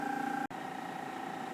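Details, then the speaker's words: Rotovap vacuum pump: it first pulls harder and louder, then equilibrates to a steady, even hum with a constant high tone and no surging; normal running. "all the way and you can hear that is starting to pull harder as the vacuum makes more noise it will then slowly equilibrate back to the same lack of noise it was making"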